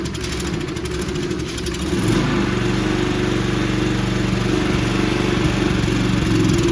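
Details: Toro Recycler 20333 personal-pace push mower with Briggs and Stratton engine, after a quick carb bowl clean: an even, quick single-cylinder putter, about four beats a second, steady with no misses; running normally.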